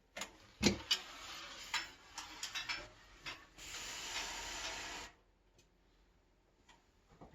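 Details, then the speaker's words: Freshly built bicycle wheel on a Hope hub with belt drive, spinning. Uneven sharp clicks come about four a second as the new spokes unwind and settle. Suspected spoke settling, not confirmed. "can hear the clicking of the spokes because I just built these wheels so there's a certain amount of wind unwinding that goes on"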